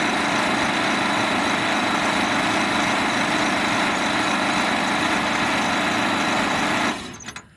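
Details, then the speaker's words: 1927 Pirsch fire truck, first start attempt in 29 years, with a normally 6-volt system on a commercial battery: steady, even starter churning for about seven seconds, never catching or firing; cranks but no start. "well that sounds like a bunch of nothing so far"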